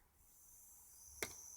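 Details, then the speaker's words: Cheap Chinese digital buck/boost DC converter module fed 13.6 V and being raised toward about 15–16 V output under load. A thin, steady high-pitched whine with one knock as the board moves. Inductor squeal, heard at various voltages. "uh that seems all right but yeah there's quite a lot of squealing from the inductors at various"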